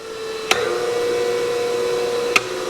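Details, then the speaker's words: New Harbor Freight Hercules 8-inch bench grinder, first run after unboxing; smooth, quiet, steady mid-pitched hum with hardly any vibration, only light clicks; normal running. "Wow. Smooth. Quiet. Seems pretty good. Hopefully it holds up. Hardly any vibration at all. Man, that thing sounds great. Sounds powerful."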